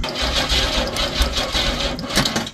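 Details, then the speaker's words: Pontiac Fiero SE V6 (2M6), 52,000 miles, sat for years: quick even churning about four beats a second, no firing; plenty of spark, no fuel pump sound heard, so fuel pump suspected after long storage. "yeah I don't hear anything from the fuel pump do you have starting fluid I don't think I do good ahead yeah plenty plenty of spark so we've determined it's definitely the fuel pump"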